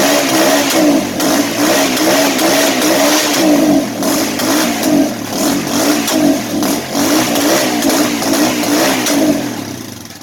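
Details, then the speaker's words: Auction Kawasaki (titled 1989 KLR650) single: a steady, even thump with clean throttle rises, no knocks or misses. It's a runner. "Well, the wife's not gonna be happy, and neither will the neighbors, but she's a runner, guys."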